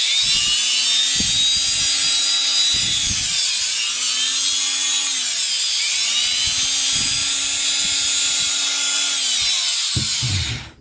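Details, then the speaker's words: Electric planer that sparked at the armature despite new carbon brushes, after commutator resurfacing: steady, high, even motor whine with no crackle, then a clean spin-down; armature spins smoothly, sparking gone. "yan guys hindi na siya nag-spark napaka smooth na ng pag-ikot ng armature niya"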